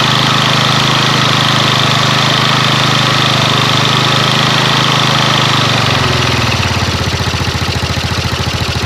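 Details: Yamaha Mio scooter with rewired ignition, used Repo Absolut CDI and regulator rectifier, used carburettor: single-cylinder idle with steady even putter, no misses or knocks, beat slowing and settling near the end; normal idle.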